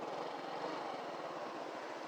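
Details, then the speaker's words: Yamaha Gear 125 scooter restarted after fuse checked as the suspected cause of a sudden breakdown: quick, even putter at steady idle with no misses or knocks; running normally, problem solved. "oke motor sudah hidup kembali dan tidak dan permasalahan sudah selesai"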